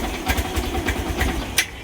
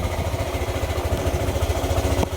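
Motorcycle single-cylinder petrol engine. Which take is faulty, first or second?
first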